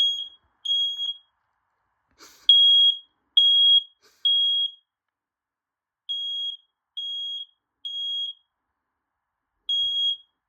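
Loud, high-pitched beeps in repeating short groups with pauses between, then silence: the smoke alarm triggering and sounding properly.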